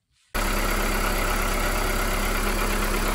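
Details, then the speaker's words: VW Polo 6N2 after quick-fixing the loose intake sensor duct with a compressor tube: engine catches and settles into a steady, even idle with no hiss or stumble; smoke attributed to the catalytic converter heating; normal idle. "it looks like no issues this smog is because of the catalytic converter it's changing color you can see right there"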